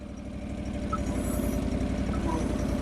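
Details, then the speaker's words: John Deere 445 garden tractor, sat about 8 years, trying to drive out of a hole on its hydrostatic drive: steady low engine drone with a rough growl underneath. Hydro labouring under load; cause not confirmed. "Yeah, I hear a little growl. Yeah, it's trying to climb out of its hole."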